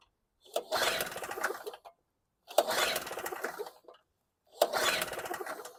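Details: WildFire WF1200 2-cycle generator (model 8WLDS.0645WM, 50:1 mix) after an aftermarket petcock replacement: three recoil pulls about two seconds apart, each a quick chuffing spin with no catch. Cranks, no start.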